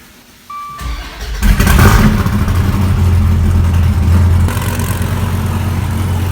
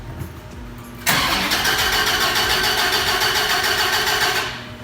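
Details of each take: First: 2014 Dodge Viper TA, wrecked at track, first start after swapping in a good battery and taping a pinched wire, in neutral; loud, deep, steady unmuffled burble with an even beat, normal idle with loud straight exhaust. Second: 2014 Dodge Viper TA, wrecked and with a borrowed battery fitted: starter spins the V10 at a steady quick beat for about three seconds with no firing; cranks but won't start.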